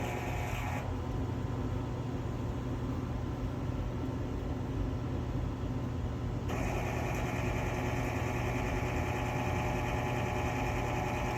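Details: Quadra-Fire CB-1200 Classic Bay pellet stove auger feed motor making a steady coarse grinding drone under the motor hum each time it feeds; the leaking bearing seal has left the gear case dry, so the motor should be replaced.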